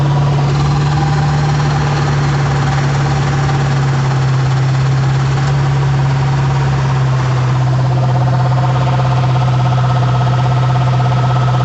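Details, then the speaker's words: 2005 Ford F-150 idling: constant coarse rattle under a low drone that continues with the A/C clutch disengaged; clutch works, owner suspects the compressor pulley bearing rather than the whole compressor. "I'm hoping it's just the bearing inside the pulley. It's causing all the ruckus and not the whole compressor shot."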